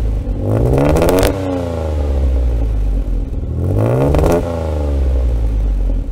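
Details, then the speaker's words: Austin Healey 3000 after SU carburetor work, mic at rear on exhaust: two blips, a little raspy and still slightly stumbly but far better; owner expects it to clear with heat. "it's a little raspy and still a little stumbly but immensely better than before enough so that I think with a little heat in the cylinders it'll clear up"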